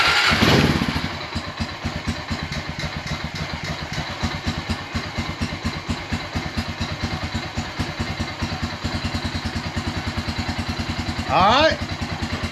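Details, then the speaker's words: 2001 Honda Rancher 350 ATV after intake valve stuck open fixed and new carburetor fitted, idle screw turned about two turns in: steady even single-cylinder thumping idle, no misses or knocks, running smoothly while smoke burns off. "it's running all right I'm going to let it sit here and run for a little while and uh let everything burn off"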